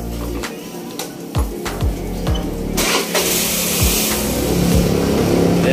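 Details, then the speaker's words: Suzuki Avenis 125 scooter after cleaning the ISC and manually calibrating it (turned back eight times), fixing no idle and stalling: fires after a few cranking pulses and settles into a steady, even idle without stalling. "hindi na siya namamatay"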